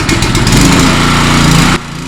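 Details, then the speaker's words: Power washer small single-cylinder engine after carburetor cleaning, fuel switch on: buzzes unevenly then drops in level, running a little sloppy; owner suspects leftover old fuel mixed with new, cause unconfirmed. "Still runs a little sloppy. That just might be that super old fuel that's in there, because I did mix the two because I couldn't really drain it all out."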